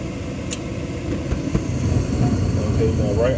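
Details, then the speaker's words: Gas furnace that had been cycling off after cleaning its flame sensor: burner lights and settles into a steady low roar, still running past the usual 5-10 second shutoff, firing normally. "it usually shut off in about five or ten seconds it's still going so that's a good sound"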